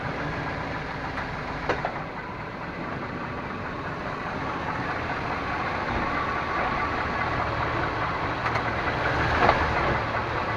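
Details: 1998 Chevrolet Suburban K1500, 5.7L V8, 4L60E automatic, 177k miles, idling in 2WD: sharp clunks when shifting park to drive and back; cause unknown, also sometimes clicks driving uphill.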